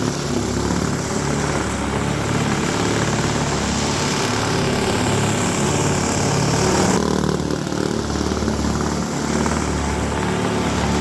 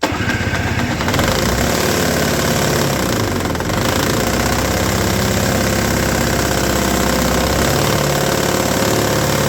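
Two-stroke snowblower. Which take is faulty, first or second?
second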